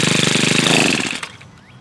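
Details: Tiller, single-cylinder engine: fast, sharp popping runs evenly for about a second, then fades as it shuts off. It runs fine; owner suspects debris packed in the blades was what stopped it starting.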